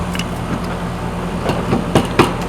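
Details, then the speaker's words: AC outdoor unit after fix: steady smooth low hum, no buzz or rattle; earlier buzz came from sheet metal rubbing in a corner, stopped by bending the panel with a screwdriver. "we have a quiet AC unit yay"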